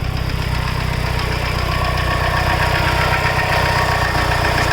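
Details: Mitsubishi Evo 8 after full head rebuild (new GSC zero-tick lifters, springs, retainers, valves, cut seats, seals, resurfaced), Mobil 1 15W-50 fresh oil: even idle with light tick about four per second; suspected lifter tick.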